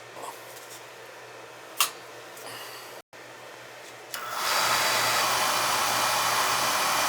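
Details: Oil burner firing during first service of the heating season, outside chimney, low limit set at 180: blower hum, click, then smooth roaring rush as the flame lights and holds steady; clean normal ignition.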